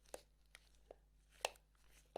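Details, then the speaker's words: Canon FDn 300mm f/4 L lens with a focus fault: five dull, uneven knocks in about two seconds as the lens is shaken. A loose screw in the focus ring under the rubber grip is shifting inside; fixed with Loctite 222 and tightening. "Now, I think it could be something loose inside, which was also the case in here."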